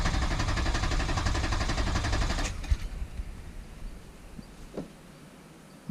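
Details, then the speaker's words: Wrecked rollover rebuild: starter churns evenly about four per second for over two seconds, turns over once and won't catch; crank no-start, owner suspects fuel. "all right so she turn over once and then nothing sounds like fuel to me"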